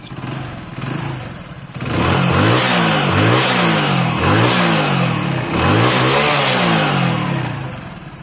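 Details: Hero Honda bike after reassembly fix (engine had a clattering knock on acceleration): repeated rev blips rise and fall cleanly with no knock on the exhaust note; normal engine revving.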